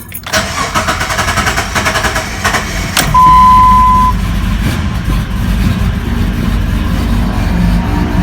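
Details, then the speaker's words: 2003 Jeep Liberty after cam and crank position sensor replacement, previously blinking check engine light; cranks, catches and settles into an uneven lumpy idle that never smooths, light now off, strong fuel smell; rough running after start. "Well, that sounds like ass, but it's going. And the check engine light is off. So let's let it rev for a little bit. It's idling a little rough, but hey, the light is off."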